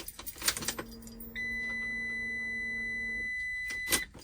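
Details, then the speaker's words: 2014 Ram ProMaster 2500 just after fuel pump replacement, key on without cranking: keys rattle, then a steady high electric whine for about two seconds as the new pump primes and purges; normal. "Just do this, and you hear the pump pumping, so you can purge it."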